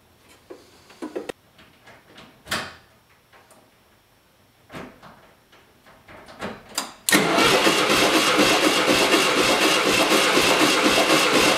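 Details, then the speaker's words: 1977 VW Westfalia van with a major miss, compression test: handling noises, then the starter cranks steadily at about four beats a second with even strokes; this cylinder reads only about 70. "that's only about 70. hmm not good amazed i even got this thing started at all last night"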